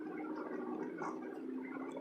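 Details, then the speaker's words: 2014 Hyundai driving slowly through deep flood water: steady engine drone with a wet, gurgling motorboat-like burble as the exhaust blows through water. "sounds like a motorboat with good reason because it is"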